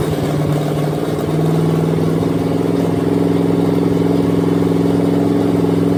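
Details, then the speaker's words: Chevy V8 with exhaust manifolds, no headers, fresh motor with heads refitted, destined for a 1953/54 Dodge tow truck: even, steady rumble with no knocks or ticks, good oil pressure; normal running. "got good oil pressure I mean for a motor with manifolds sounds okay"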